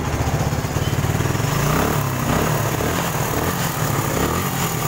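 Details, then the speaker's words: Suzuki Satria FU 150 after rebuild with aftermarket (KW) cylinder block honed smooth, valve shims and top set, fixing previous heavy smoking: steady, even low single-cylinder putter at idle, no misses, knocks or rattles; runs smoothly and healthy. "Oke teman-teman bisa dengar sendiri suaranya lagi"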